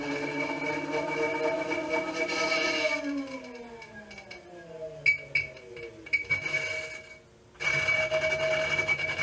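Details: New Kickr Bike trainer starting from a stop: high whine winds down, then loud gritty metal-on-metal grinding and rasping, with grinding felt through the pedal and pedal stuttering/vibration.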